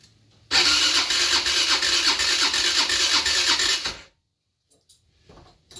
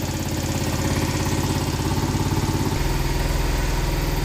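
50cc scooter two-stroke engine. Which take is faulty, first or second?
first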